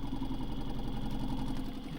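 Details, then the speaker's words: Vibratory pan apparatus, motor at about 11 Hz natural frequency with more power added, almost an inch of pan displacement: low steady hum with fast even shaking rattle; normal resonant operation. "so you can see now i've got almost an inch depending on where you measure it and almost an inch of displacement"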